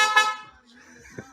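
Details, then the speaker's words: Suzuki Swift after replacing the old tinny Denso horn with a new horn: one loud, bright, brassy blast cutting off cleanly, strong tone, no rasp; healthy horn. "Here we go. Oh, that sounds good. Well, that's a little bit better than the old tinny Japanese Denso."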